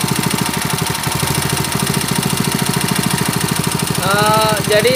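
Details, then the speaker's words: Honda GX160 5.5 hp water pump engine, unused a year, on NGK BP5ES long plug after high-rpm warm-up; slightly lumpy, uneven single-cylinder beat that sounds off; running rich, fouling plug black, carburetor suspected. "Okey so his voice was something strange I think there is still a clumsy"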